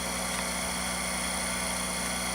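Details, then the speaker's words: General Electric video reel-to-reel recorder, switched on and play/record lever pulled up with no tape loaded: a steady motor hum with a fine high whirr from the spinning heads. The head drum motor runs normally. "Now, before I put a tape on, if you flip this switch, this is how you... So the unit's on. Now to get it to play, record, you got to pull this up and the head starts spinning. And I wanted to show that before the tape comes on. And you can hear the motor."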